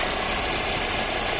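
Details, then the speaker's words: 2019 Volvo XC60 with codes incl. P0455 gross EVAP leak, P0172 rich and P0507 high idle: loud steady hiss of air sucked in over the idling engine with the line off; purge valve leaking vacuum. "got a leaking purge valve. Hear that?"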